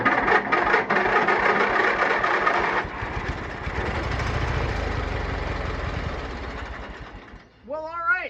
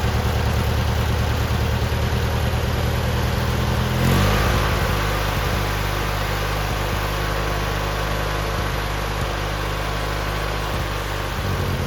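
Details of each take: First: Free abandoned lawn mower given starting fluid down the intake and the solenoid jumped because of a key problem: cranks, catches and runs unevenly for a few seconds, then fades out. It runs only on starting fluid. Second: Free abandoned lawn mower, old gas removed and tank cleaned, started on choke: cranks and catches at about four seconds, then settles into a steady idle with no stumbles. Normal idle.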